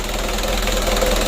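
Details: Freshly rebuilt 120 PS 4D34 diesel, just started, at idle: even clatter with no misses, hunting or heavy knock; oil good, running-in for four days to a week.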